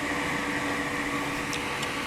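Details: Double fan added behind a Dometic RV refrigerator at the outside vent to stop it warming up: a smooth, constant electric whir with no rattle or wobble; the fans run normally.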